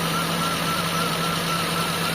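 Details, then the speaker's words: Toyota Corolla with unstable idle, after repair with A/C on: smooth steady idle, no hunting or surging; idle-up now working and rpm no longer drops, engine calmer. "Hindi na siya yung parang nagagalit mga boss. Ayan. So naayos na natin tong idle."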